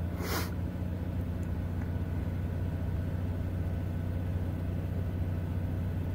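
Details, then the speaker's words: Onan 4k generator in a Bounder motorhome, after Royal Purple Max Clean fuel treatment and earlier stalling: steady, low, even hum with no hunting or misfire, much smoother than before. "sounds a lot better now wow still got no power there we go wow that sounds a lot better wow that sounds it's nice and smooth"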